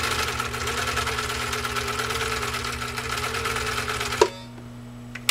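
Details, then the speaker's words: Husqvarna Viking 21A sewing machine (1.5 amps) stitching through about 14 oz genuine cowhide leather under the roller foot: steady, even needle-bar chatter at constant pace, no straining or slowing, then stops; healthy machine. "did you hear the machine strain or groan or say oh my gosh what are we gonna do with this not even close not even for a second"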